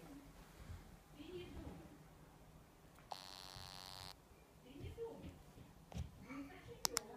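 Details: New Meizu MX5 phone: mostly quiet, then about a second of harsh, raspy electrical buzz from the handset; buzzing fault, cause unclear.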